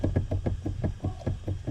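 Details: Steering column knocking on a car: sharp, evenly spaced knocks about six per second with a low thud, typical of a loose steering column joint; cause suspected, not confirmed.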